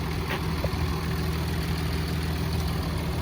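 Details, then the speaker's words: 2021 Ford F-150 3.0 PowerStroke diesel at about 5,000 miles, hood open; steady even idle with a light regular clatter over a deep low rumble, a Cummins-like rattle, no misses or knocks, healthy engine. "Okay, if you listen close enough, it almost sounds like a Cummins. It's almost got that Cummins rattle. It's a great little engine."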